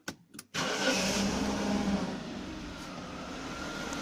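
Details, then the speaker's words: Jaguar X300 after retensioning the alternator accessory belt, engine warm: engine catches and settles into an even idle with no squeal or chirp; belt runs quiet, squeal fixed (cold test pending). "donc là on a plus du tout de couinement donc c'est sympa et favorable"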